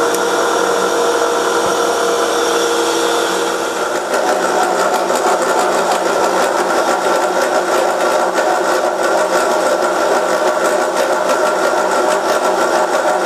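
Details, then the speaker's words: Milling a 90-degree V-block from a hardened forklift tine with an angle cutter at 1 mm depth of cut: harsh, fast rattling chatter that grows louder as cuts deepen, caused by runout in a cheap out-of-round arbor. "my cheap Chinese Arbor what you can hear it have some run out in it and as these cuts get deeper this thing gets louder because of the way the the Arbor is out of round"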